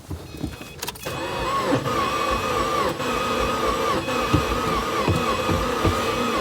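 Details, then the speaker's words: 2008 Subaru WRX bought dead, first start attempt: starter whirs with slow, uneven compression pulses under a faint whine, turns over but never catches; owner suspects low compression, possibly fuel or spark. "That sounds kind of like low compression, maybe. Yeah, it sounds like low compression. It sounds like it wants to go."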